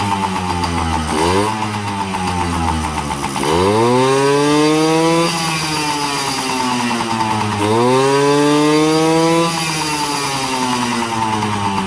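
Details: Yamaha PW50 two-stroke with oil injection, revived after sitting in a shed for years, running on premix with the oil pump hose off and no air filter; crackles at idle, revs cleanly twice, settles to steady idle; normal running.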